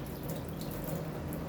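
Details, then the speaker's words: Dishwasher just switched on and running: steady rushing water with a low hum as the pump pushes water out the drain pipe; normal drain operation. "এই যে পাইপটা দিয়ে জল পড়ছে। এই যে শব্দ হচ্ছে গো করে।"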